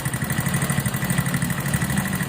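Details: Viar VSR 200 motorcycle after work at two previous workshops. The oil is not circulating because the oil cooler passage was plugged with a bolt, and the bike reportedly had a fall. It runs with a harsh, uneven rattly beat over a low drone that worsens with revs: oil-starvation engine damage.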